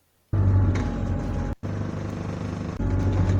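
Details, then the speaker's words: Bus diesel with hydraulic engine-driven power steering pump: deep rumble with a faint moaning whine rising and falling with engine rpm; normal power steering pump whine. "you hear that that's the hydraulic steering pump like I said before the hydraulic power steering pump is powered by the engine so that's why follows the the exhausting"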